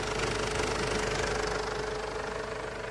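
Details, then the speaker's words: Ford Everest diesel after tightening the loose alternator fan belt that squealed on start-up: steady even idle clatter with no belt squeal or chirp. Normal idle after repair. "Wala na siyang ingay mga boss Maraming salamat"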